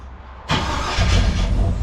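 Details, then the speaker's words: 1956 Chevy Bel Air carbureted V8, warm restart during carb and timing tuning; short crank, then catches at once and settles into a steady, deep idle; restarts hot without trouble. "Back in the van, so I'm so proud of the fact that it just restarts."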